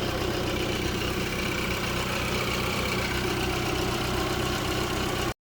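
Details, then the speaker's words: Kia that had been down almost four months, started after replacing the alternator to check charging (meter then read 14.2 V): steady, even low idle hum with no misses, knocks or squeals. The engine is idling smoothly and healthy. "we're going to start it up and see if she charges nice she's running"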